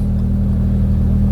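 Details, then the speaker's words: Mk1 Audi TT after rebuilding the fuel pump/sender with a used 4-bar pump, first start after two days sitting: pump heard kicking in, then smooth steady idle with even beat, no misses, knocks or whine. "you can hear the pump kick in um it's running first time and it hasn't been started in i think two days since we fitted the pump"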